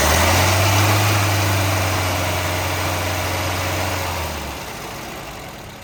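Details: 1971 Volvo 142, B20B engine, 32/36 carburettor, fuel just added: it catches and idles with a low rumble, then fades and dies within about five seconds. Stalls after starting; owner suspects a clogged carb needing adjustment.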